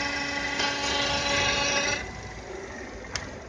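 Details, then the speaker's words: Renault Duster 2.0 (facelift): a high whirring tone drops away leaving a quiet, smooth, normal idle; a bearing-like noise that misled diagnosis is heard only with the oil dipstick pulled out. "Двигатель шепчет."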